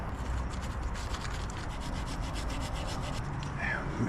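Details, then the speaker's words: Old mechanical water pump from a BMW F30 340i B58, removed for a coolant leak and low-coolant warnings, spun by hand; gritty rough grinding rub instead of a buttery-smooth spin, a worn water pump bearing. "this is the old pump and just listen to this it should never ever make that noise it should be buttery smooth"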